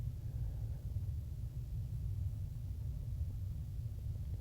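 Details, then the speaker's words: Newly installed propane water heater with correct gas pressure and regulation, cold tank: steady, soft low roar without popping or fluttering; burner lit and burning cleanly. "o we're burning good we have the correct pressure correct regulation that's a good looking flame and we'll heat this tank up in no time"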